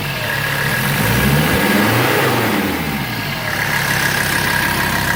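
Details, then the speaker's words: 1984 Mercedes-Benz 300TD diesel, from high idle revved by pedal: clatter rises smoothly and settles evenly, no knocks or misses, front breather puffing gases; healthy engine. "Sounds good. And then this, that's just doing its thing right there, puffing away."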